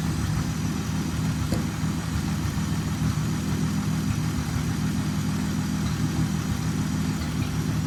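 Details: 1929 Chrysler Type 66 Speedster near end of rebuild, running after teething problems: steady even low idle settling smoothly, no knocks, misses or ticking; normal healthy idle.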